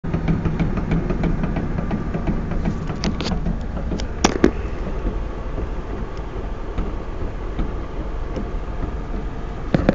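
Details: Ford Mustang: irregular dull thumps and pops from the rear end over road rumble, only when off the accelerator (coasting); varies with wheel speed, not RPM. Differential fluid added with no effect; diff cover not yet pulled. Rear end thumping on coast.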